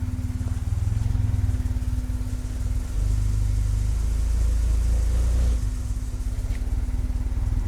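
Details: Turbo Acura Integra first start after new injectors and tuning, after an 1,800-mile road trip; lumpy idle with stumbling, surging pulses, running very rough, likely from wrong ignition timing (service connector not jumped), corrected by adjusting timing.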